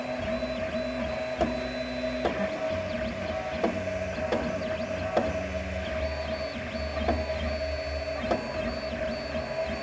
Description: The noise comes from the stepper turning back or skipping some steps. This ruins the printing process by not feeding enough material to the extruder and by the strong vibrations.